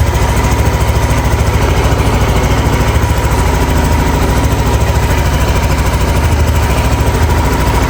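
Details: Yamaha NMAX V2 scooter, 2 years old, 19,000 on the odometer, after magneto and stator cleaning: steady, even idle thump with no knocking, rattling or scraping; the earlier magneto-side noise is gone.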